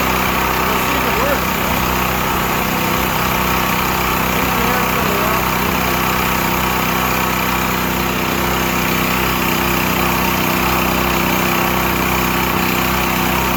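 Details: Used Stanley 8000 W all-weather generator, sat four years, running after a starting-fluid start, choke off; steady, unbroken drone with no misses, surges or knocks, holding speed, normal running.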